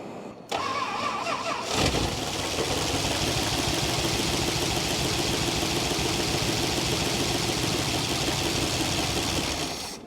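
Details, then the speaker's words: 1966 Chrysler Crown Imperial big-block, first run after 21 years sitting, AC compressor seized; cranks, catches, settles to fast idle with persistent light ticking; owner unsure, possibly hydraulic lifters pumping up. "Maybe it is lifters. Maybe they got a pump up. I doubt this thing's got solid lifters."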